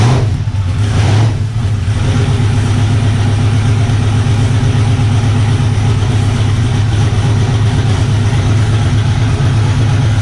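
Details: LS turbocharged V8 car that had been spitting, popping and banging at the track; deep even V8 rumble, smooth rev and settle, no popping or stumbling; running cleanly with control box plugged back in, not yet tested under load.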